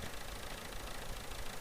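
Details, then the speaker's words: 70-year-old International 275 diesel tractor, worn, about 40 hours a year, after refurbished injectors; revved then idling with steady low clean chug, no knocks or misses, normal tick-over. "there you saw that we just revved it up and it's revving quite clean ticking over nicely yeah what's not to like about that"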